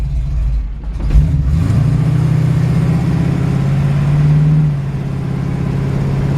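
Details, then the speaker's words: 1949 Ford F1 with Chevy 350 V8 and 350 Turbo automatic, at idle: engine settles, then speed swells for a few seconds and sags back, a slight surge; owner suspects carburetor or timing needs dialing in, cause unconfirmed. "It does, actually the engine does sound like the carburetor could be used, maybe a little dialing in, or the timing dialing in. It surges just a hair, and not exactly sure what's up with that"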